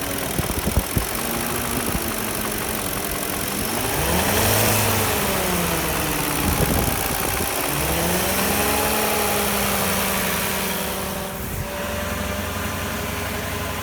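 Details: '04 Porsche Cayenne S 4.5L V8, a high-mileage car, with a used swapped engine: a hollow, somewhat irregular knock under the idle that shows through light revs. It is piston slap, later cured by a rebuilt Nikasil engine with JE pistons.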